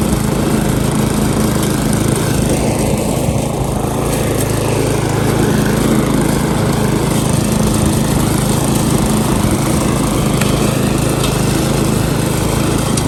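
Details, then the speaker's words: Repaired Briggs & Stratton lawn mower at full throttle, target about 3000–3600 rpm, cutting thick grass before an oil change: steady buzz holding speed without bogging, misfiring or hunting; pulling healthily. "let's just run it full throttle we'll do a bit of cutting look at that and then we'll change the oil have a look at the rpm it should be about 3 000 to 3600."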